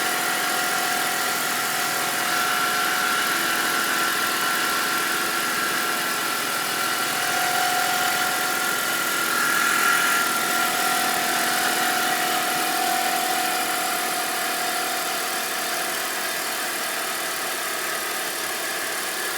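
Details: BMW 325i petrol engine at cold start: thin, steady high whining whistle over idle, holding one pitch; it goes away once the engine warms up. Cause unknown.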